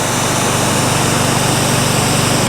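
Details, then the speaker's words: North Star 3000 psi pressure washer, resealed CAT 5DX40G pump with new valves: steady even drone under full spray load, no surging or knocking; spray reaches a tree about 20 yards away; fixed. "see I'm moving that tree out there that tree's a good 20 yards 60 feet"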